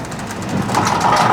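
A loose, clattering rattle builds as the door travels, typical of worn plastic rollers knocking metal at the hinge tubes.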